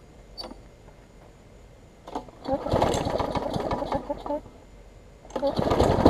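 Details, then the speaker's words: Bolens 21-inch mower, Briggs & Stratton 500 series, built April 2012, bent shaft, smoking: uneven shaky bursts with a loose, rattling roar rising and falling; rough running and vibration, sounds like internal damage. "you'll probably saw it vibrate there too I said it does vibrate some it is still usable barely"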